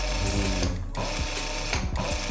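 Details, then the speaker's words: Used older round-body sewing machine run with the presser foot raised during a second-hand purchase check. Quick, even clatter of the needle mechanism with a brief pause, running freely without drag or binding. Normal, smooth running. "yang pertama dipastikan suaranya itu halus dulu"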